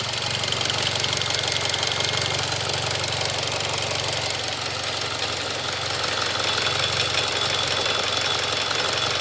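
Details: Mitsubishi Evo X GSR idling, heard outside car, not audible inside; light fast even tick over steady hum, later confirmed normal with many trouble-free miles since.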